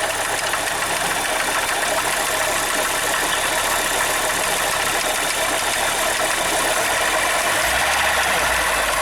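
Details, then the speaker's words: Zafira 2.0 at idle: a harsh, steady rushing grind from the front of the engine near the accessory belt cover, traced to a worn water pump bearing. "agora vamos funcionar o carro levando aquele barulho no caso fosse um carro pra nós fizemos aquele barulho horrível que estava dando é que tinha origem aqui na bomba d'água"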